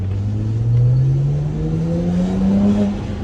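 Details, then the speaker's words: BMW 335i with N54 straight-six, bought at auction sight unseen: smooth, even rise in engine pitch as revs climb, no knocks or misses; healthy engine revving. "It's such a smooth sound."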